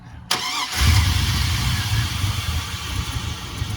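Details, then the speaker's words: 2001 GMC Sierra 1500, fuel pressure gauge showing a dead fuel pump; engine cranks, catches, then runs with a stumbling, uneven beat that never settles, barely running, starved of fuel before pump replacement. "I'm surprised it's even running. All right, that's good. Thank you. Yeah, I'm surprised it's even running. You good, man? Barely running."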